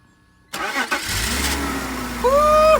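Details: BMW 330i, 18 years old, first start after sitting nine years, with new battery, fuel pump and fuel sending unit. The starter cranks briefly, then the engine catches and settles into a steady idle: a clean start.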